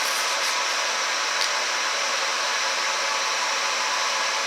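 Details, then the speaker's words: Monport GP 30 fiber laser at first power-on during setup, emergency stop released: steady even airy hiss with a constant high rush, no rattles or surging, slightly louder once the laser comes on; running normally. "now you can hear the laser came on and it is a little bit louder now"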